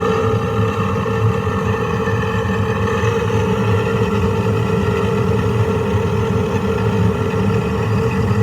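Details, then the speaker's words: Furnace inducer motor running after a no-heat call, heating at the time: steady drone with a rough, uneven hum and ringing tone above it; telltale bad inducer, could fail any time, likely not to restart once it shuts off. "So I had a call for no heat, and when I got here, the client had heat, but that is a telltale sign of a bad inducer. There's no telling how long it's going to last."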